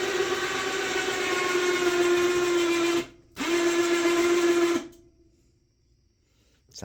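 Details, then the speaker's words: Cheap four-wheeler winch, cheaply installed, pulling a load: a loud, steady mid-pitched whine pauses, resumes, then cuts off. It is noisy under load but working as intended. "like hell but it's working let's hop off here and take a look so it's doing what it's supposed to"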